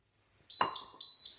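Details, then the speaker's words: YoLink water leak sensor by a water softener and water tanks, water poured on floor: two sharp high-pitched beeps half a second apart over a quiet room; leak alarm triggered immediately. "And it immediately beeps. And let me dry that off, stop the beep."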